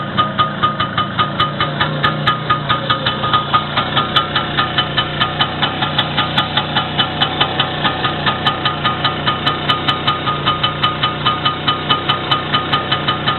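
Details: First start after repair, with the wrist pin bushing and the whole piston group replaced: steady, even idle with regular firing pulses around two per second, no knocks or rattles; runs smoothly.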